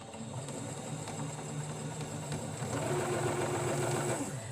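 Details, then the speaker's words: Sewing machine after cleaning, run on material without thread: even quick mechanical chatter around three to four stitches a second with a steady hum, sounding very different than before, running smoothly. "wow that sounds so different let's do that again wow that's most definitely different"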